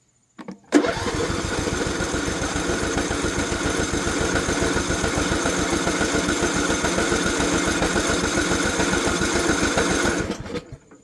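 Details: 2020 John Deere E100 mower: even starter cranking for about nine seconds, never catching; runs hard, dies when throttle is lowered, and will not restart.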